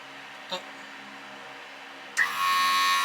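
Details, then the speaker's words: Newly fitted Edelbrock 1791 adjustable electric fuel pump on an old car or truck with an Edelbrock carb, wired through a relay. Silence, then a sudden steady whirring buzz with a thin high tone that holds even. Normal pump operation. "so when I load this up I'm gonna poke this one the fuel pump ought to kick in"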